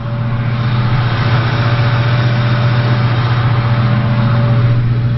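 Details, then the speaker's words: 2003 Ford Mustang GT V8 at idle: thin, steady high alternator whine over low rumble; scope AC-coupling shows excessive ripple, alternator causing P0340 cam sensor code. "You can actually hear the alternator whining. Let me see if I can get close."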